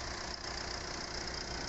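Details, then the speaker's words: Mitsubishi Pajero Sport diesel running evenly with hiss and no knocks after injector, timing belt, rocker cover gasket, turbo hose and filter replacement; now revs freely with good acceleration. "Oke sekarang kita coba untuk performa mesinnya Alhamdulillah sudah meningkat tariannya sudah enteng akselerasi nya dapet"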